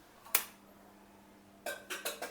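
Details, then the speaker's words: Home water purifier that hums when switched on but delivers no water and gives no motor start sound: after switch clicks only a faint steady low hum is heard and the pump motor never spins up. Cause not yet known. "મતલબ ખરાબ એટલે ચાલુ કરીએ છીએ ને તો અવાજ આવે છે પણ પાણી નથી આવતું. નોર્મલ અવાજ આવે છે, પાછો મોટર ચાલુ કરવાનો અવાજ પણ નથી આવતો."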